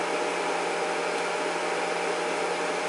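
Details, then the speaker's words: Array 3711A 300 W DC electronic load: loud, steady rushing of air with a low hum, no rattle or bearing noise; cooling fan kicked in at high speed, normal. "so now you just hear that the fan kicked in and the fan is actually about all speeds now you can actually hear it's a running really fast"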